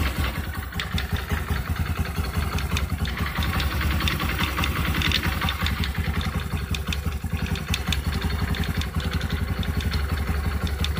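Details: Engine noise on a new Honda Activa 125 scooter at idle, with an uneven clattery rattle about three times per second over the low hum; bearing issue suspected.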